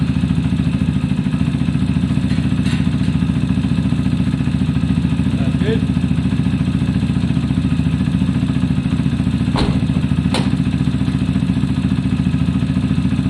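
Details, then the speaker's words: Zontes single-cylinder motorcycle after valve clearance check and fix for cutting out when stopping: steady, even putter warming up in neutral without dips or stumbles; it ran well and no longer cut out. "it ran beautifully guys and it did not cut out problem solved"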